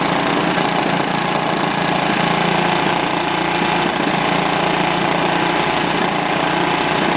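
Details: Old, worn Clinton B700-series (B704) single-cylinder engine, possibly from a rototiller, after carb clean, run on choke without air filter: steady fast beat, slightly uneven but no knocks or misses; running as it should, slightly smoky.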